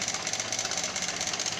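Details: 2014 Honda Lead 110 scooter engine idling after cleaning, no smoke: fast, busy metallic rattle riding over the idle; camshaft bearing noise.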